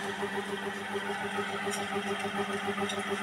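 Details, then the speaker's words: Ceiling fan, noisy at night per the owner: steady motor hum pulsing about three times a second with faint scratchy squeaks, from dry, worn fan bearings, recorded before cleaning and bearing service. "Biasa kalau masalah macam ni bunyi bising ni masalah bearing kipas saja."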